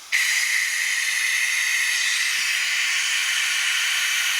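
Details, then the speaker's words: Dodge Hellcat Magnum, vacuum coolant-bleed tool (Harbor Freight) on cooling system after new coolant reservoir installed: sharp steady even air hiss as it pulls vacuum, collapsing near full vacuum; normal vacuum draw. "and you can tell once it starts collapsing it you're pretty close"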